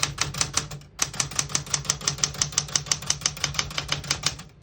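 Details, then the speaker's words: 1971 Smith-Corona Super Sterling vintage portable typewriter: crisp, even key strikes about three per second with one short pause, no keys skipping or sticking; normal typing action. "As you can see, all the keys type nice and none of them skip or stick."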